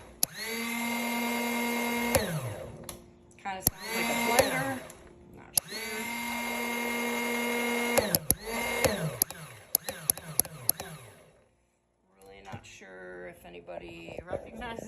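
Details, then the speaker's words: Coolster 125cc ATV with new battery, solenoid and starter, fuse good: repeated high whirring starter bursts wind up and down but engine never fires; cranks but won't start, cause unknown. "and this is the noise that it makes it won't start I'm really not sure why"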